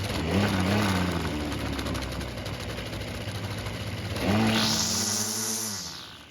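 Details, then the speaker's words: Ryobi two-stroke string trimmer that would not start, after its carburetor was ultrasonically cleaned a second time, no adjustment needed: buzzy, even idle, then a clean snap to high rev and a smooth return. Normal running. "The carb now seems to be working like it should without having to make any adjustments."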